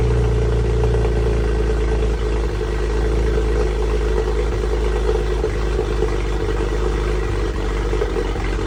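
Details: BMW N54 engine on cold start: uneven cold idle with occasional dips and stumbles in the steady drone; owner suspects a misfire while cold.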